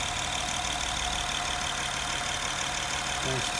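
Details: Honda Pilot after 180,000 service at another shop that didn't adjust valves, recorded from above and beside under the wheel arch: light, quick even ticking about three a second over smooth idle; valve clearance needs adjusting, before adjustment.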